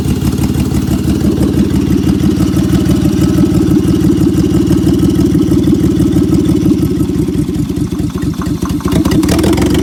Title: 2003 Honda V6 3.5l, misfire on bank 1, P0301, P0302, P0303 and P1399